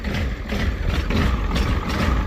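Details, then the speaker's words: 1985 Ford F250 6.9 IDI diesel just after an abnormally fast cold start; lumpy uneven low idle with irregular chuffing and heavy smoke, owner suspects excess fuel; rough idle. "I think it's something to do with all of the fuel."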